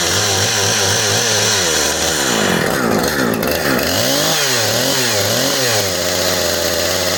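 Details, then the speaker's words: Husqvarna 455 Rancher chainsaw after repair (new plug, fuel line, filters, primer bulb, linkage), test run not at full rpm: uneven burbling, blubbery revs instead of clean scream, four-stroking all the way up, excessive smoke; carburetor running rich, needs tuning. "but it sounds like it's four stroking all the way up and she shouldn't be doing that"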